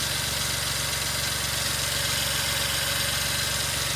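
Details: 2003 Suzuki Jimny JB23W with the K6A engine idling after a water pump replacement: a fast, even idle pulse beneath a loud hiss, with no knocks or squeals; it runs smoothly.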